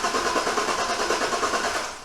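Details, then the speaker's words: Budget trophy truck build engine cranking on the starter: steady, even rhythmic chug with no grinding or clunks; cranking sounds normal, not yet started. "turns over, and I think it sounds normal to me. So at least that sounds pretty good."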